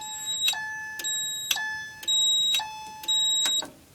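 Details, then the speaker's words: FCI 7100 2D addressable fire alarm panel with AC unplugged, running fully on battery in a trouble state, alarmed from the kitchen pull station: repeating steady, high-pitched chime bursts about once a second; normal alarm operation on battery. "so we'll pull the pole station in the kitchen again this time we'll key [Music] activate this is running fully on"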